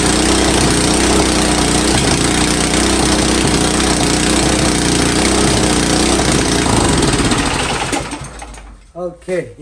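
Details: Powersmart snow blower that wouldn't start, after ultrasonic carburetor cleaning: small engine runs loud and steady with an even beat for about eight seconds, then winds down; running normally.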